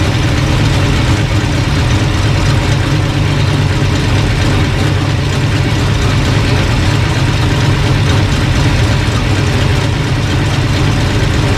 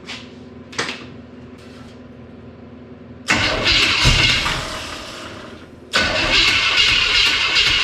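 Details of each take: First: Engine at steady, even idle with no misses or stumbles, running smoothly after the distributor was found bad all along; reading about 180 then 190 with pump on. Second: Old engine with timing known to be way out, fuel pump on: cranks, catches and runs ragged a few seconds, fades and dies, restarts after ignition switch cycled; losing spark, owner suspects bad distributor.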